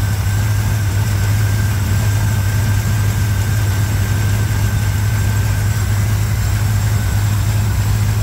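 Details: 1987 Chevrolet K10 4x4 truck, first start after blown head gasket replacement, warming up at idle: smooth, steady low rumble with an even beat, no ticking, knocking or misfire; normal healthy idle after repair.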